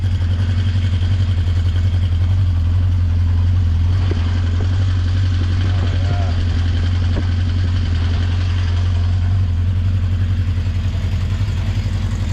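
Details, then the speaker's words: 1980 Honda CB650C inline-four with its OEM exhaust reinstalled, very cold start after a couple of months unused, full choke, primed with the accelerator pump: deep, steady, even idle with no misses. "kay a very very cold start here hasn't been running oh at least a couple months"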